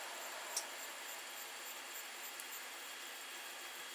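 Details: 70mm blower meant to replace the noisy thermostatic server fan cooling a Meanwell power supply, other fan switched off to hear it: soft, steady airy hiss, no rattle, tick or bearing growl; running smoothly and quietly.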